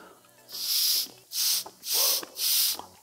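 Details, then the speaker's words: BMW F-series air suspension compressor during disassembly, air blown by hose through the removed discharge valve: four sharp bursts of hissing air pass straight through because the discharge solenoid valve is stuck open. "And you probably can hear the air is escaping because this solenoid valve is stuck open."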